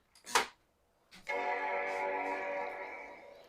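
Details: 1995 Macintosh 5300/100 LC, 100 MHz PowerPC, hard disk refitted after dusting: button click then one clean sustained chord slowly fading; normal startup chime, boots to happy Mac.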